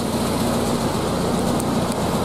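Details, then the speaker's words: Warm Triumph Spitfire four-cylinder, no choke, idling about 800 rpm after fixing a cylinder-two misfire: even, steady note firing on all four cylinders; timing and mixture still need slight tuning. "obviously you still need to play with the timing with the mixture a little bit but that is smooth you can hear that's firing on all four cylinders"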